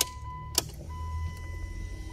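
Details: 2004 Stratus 2.4 with a no-start fault from a damaged engine computer, after the computer was programmed: a click at key-on, then a steady faint whine under a low hum, the fuel pump priming normally.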